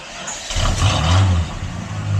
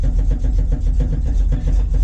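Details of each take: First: 1973 Plymouth Scamp after replacing the muffler and tail pipe: engine catches after a brief rough start, then settles to steady, even low idle with deep, smooth exhaust note, slightly louder than before; healthy. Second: 1973 Plymouth Scamp running cold: deep, uneven lopey idle at about four pulses a second with some weaker beats; runs poorly whenever cold, cause unknown.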